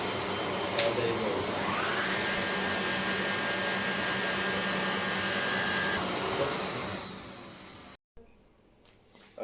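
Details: Hoover HL500PT vacuum, bought ex-display as not working and fixed without new parts, after repair: steady, even motor roar with constant airflow hiss winding down at the end; healthy suction, running normally.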